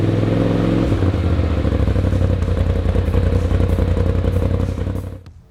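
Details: 2020–21 Polaris RZR Pro XP, new S&S PowerTune XTO muffler: deep, even burble settles after a brief rev, runs smooth and steady, dies cleanly at shutdown. Normal exhaust note.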